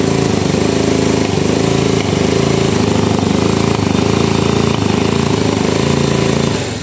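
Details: Honda Revo motorcycle that suddenly lost power, started on the kickstarter: loud rough choppy putt-putt running that stays at one speed and won't rev even at full throttle; consistent with a worn camshaft and rockers.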